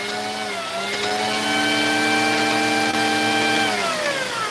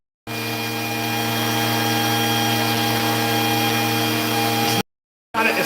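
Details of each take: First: Vacuum with no-power complaint: motor whine sags in pitch, holds, then drops again as the wand is pushed forward and pulled back; power cutting in and out at the wand connection. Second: Vacuum with intermittent power-head cutout: constant motor hum, steady pitch, no cut-outs while the wand end is flexed, so that end of the wiring is sound.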